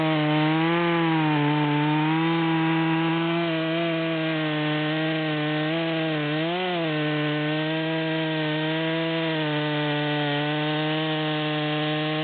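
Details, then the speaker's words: Stihl MS200 saw with 25-inch bar (84 drivers, 3/8 chain), one-handed cut in a large log: high buzz sags and wavers about a third of the way down; engine bogging, struggling to pull the chain. "we're at zero we're about a third of the way down at this point and you can see it's struggling to pull the chain"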